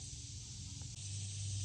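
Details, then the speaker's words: 2006 Kia Sedona 3.8L V6, head gaskets blown at highway speed after heater hose T-fitting broke: steady hiss of air and mist over cranking hum from adjacent cylinder during fluid-added compression test; gasket blown between cylinders. "we got this cylinder sealed, and we're blowing mist up out of the adjacent one. So that's telling me that the head gasket is blown between cylinders."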